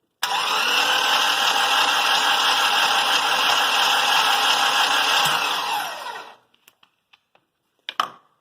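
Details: Honda Insight with swapped K24 engine on Speeduino, engine sensors connected, spark plugs grounded on a bar, during crank/cam trigger testing: steady, even starter whirr for about six seconds with no stumbles or irregular knocks, then stops; normal cranking.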